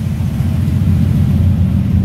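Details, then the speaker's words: 1946 Ford pickup flathead V8 with Offenhauser aluminum heads, three deuces, 12 V system and electric fuel pump, carbs still to be serviced after old gas: deep, even rumble with steady burble, no knocks or misses; normal idle. "whoa i love the sound of this thing that sounds smooth we're still going to service the carburetors on this because it had really old gas in it"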